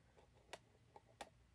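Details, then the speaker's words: Vintage Couch coded fire alarm pull station (code 2652), lever pulled twice to code two rounds; two crisp mechanical ticks about two-thirds of a second apart in a quiet room; working normally. "in this case i'm going to pull it just two times so it can only code two times which is halfway so you will hear a tick"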